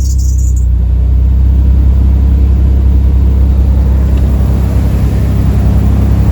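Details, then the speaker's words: Nissan 300ZX Z32 twin-turbo manual, off the road 17+ years, just started and still warming up after replacing a wet cylinder-4 spark plug, fitting new correct-spec injectors and fixing vacuum leaks: steady, even V6 idle with no missing. Normal idle. "it sound normal [Music] sounds beautiful at the moment doesn't sound like it's missing it sounds sweet so far nice i'll let it warm up and then i'll give it a few revs"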